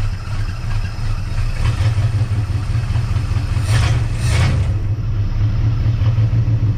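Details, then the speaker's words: Barn-find 1958 Dodge Coronet Lancer V8, sat 30 years, choke wired open, idle set lower, manifolds smoking: lumpy, uneven, stumbling low idle. Misfiring at idle; owner suspects the points, possibly worn distributor bushings. "half hour pack anyhow so I'm kind of convinced it's the points"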